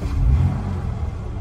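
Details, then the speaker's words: Jaguar XK-engine car, warm, in neutral: fuel pump primes ticking, then deep rumble swells as it starts first crank and settles to a steady 600 rpm idle; a healthy warm start. "démarre au quart. La voiture est chaude. Elle tient ses 600 tours minutes."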